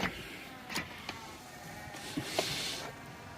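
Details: Chrysler Town & Country minivan powered rear seat being raised: quiet electric motor whir broken by irregular clicks and clunks as something is stuck in the mechanism; seat drive sounds rough and is not working properly.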